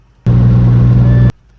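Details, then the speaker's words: Driving after screwing a 3/4"x3/4"x1/16" aluminum angle to a fin of the LED light bar: only steady low road and wind rumble, no whistle. The light bar now runs quiet. "It was super quiet and super quiet."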